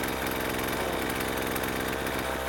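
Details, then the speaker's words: Discarded Husqvarna 128CD two-stroke powerhead after carb cleaning: harsh, buzzy, ragged running; sounds weak. Owner suspects weak spark, possibly blown head gasket or low compression, not confirmed. "That doesn't sound like a healthy engine."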